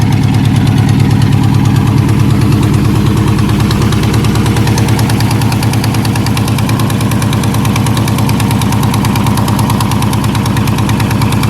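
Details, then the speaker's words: S10 drag truck with junkyard LS V8 and eBay cam, started on a ~50°F day: loud lumpy cam idle sounding pretty good, with a sharp ticking puff on each firing pulse from a small exhaust leak. "Diamond doesn't run it sounded pretty dang good A little bit of an exhaust leak at"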